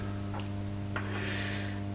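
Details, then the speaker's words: Late-1965 Marshall JTM45 Super 100 tube guitar amp, very loud hum after two years unused: constant low buzzy hum through the speaker, unchanged after 47 µF was added in parallel with a smoothing cap; mains hum, source not found. "okay so now I've just put 47 microfarads in parallel with existing cap it hasn't changed the hum at all"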